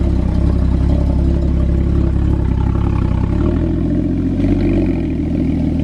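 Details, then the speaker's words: Porsche Cayman 981 GT4 rebuilt after a motorway crash to the nearside rear, first start with its new exhaust fitted: a deep, throaty note that holds steady, then climbs as the revs rise; strong, clean running with no knocks. "oh that noise so much better with an exhaust it sounds epic"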